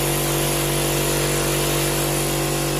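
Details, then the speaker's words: Air compressor after modification for an unloaded light start (only the factory capacitor kept), previously humming and failing to restart: steady, even motor hum with constant pitch, no labouring or stalling; starts and runs normally. "благодаря этому заработает компрессор не перегревается запускается"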